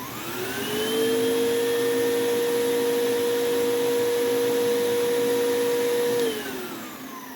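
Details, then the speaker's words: Vacuum near-identical to a Sebo G1, run briefly off carpet because of a filter problem: the soft-start motor eases up to speed over about a second, holds a smooth, quiet, steady whine, then winds down cleanly; it works beautifully. "so it works beautifully it sounds great it's nice and quiet has a nice soft start motor"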